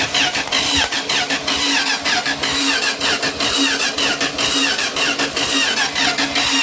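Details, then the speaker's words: Junkyard-sourced 1977 Dodge RV 360 V8 being test-started out of the vehicle on the ground: even starter cranking with a rough rushing sound, never catches. Owner suspects not enough fuel and plans to pour gas down the carb. Cranks, no start. "well maybe we ain't got enough fuel in the old beast so i'll try that i'll pour a little gas down its throat"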